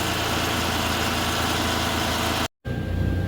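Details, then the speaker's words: 2014 Chevrolet Silverado 4.3 with a recently replaced fuel pump idles evenly with no misses, stumbles or knocks after a couple of gallons of gas were added; the crank no start was likely from running out of fuel, with the fuel level sender apparently reading inaccurately. "so let's see if it'll start so it's showing just under a quarter of a tank now so I'm pretty sure it was out of gas and that fuel gauge is reading incorrectly"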